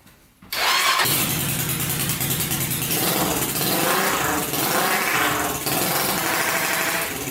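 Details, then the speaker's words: 1999 Honda 400EX quad, newly turbocharged with carburetor, first start; single revs with an uneven surging note dipping every second or so; owner suspects not enough fuel and the carburetor needs modification to be pressurized. "all right so you can see it probably needs some modification at the carburetor"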